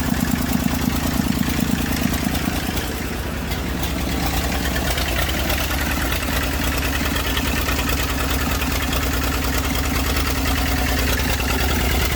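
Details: Massey Ferguson 35 diesel tractor, started with a little "goat juice." Has water leaks and a fuel leak; owner suspects injector copper sealing washers. Steady, low, even diesel chug at idle, no misses: normal diesel idle.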